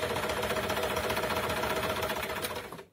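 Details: Janome sewing machine after lubricating all moving parts with oil: even, quick clatter about three or four strokes a second, no creak or knock. Normal running.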